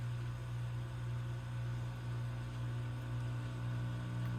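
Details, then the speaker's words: 1940 RCA 16X3 vacuum tube radio powered up on a variac with voltage being raised: low, steady hum independent of volume, no reception; power supply fault suspected, likely filter capacitors or possibly the output circuit. "Uh-oh. I'm hearing volume independent hum. That tells me the power supply's got an issue."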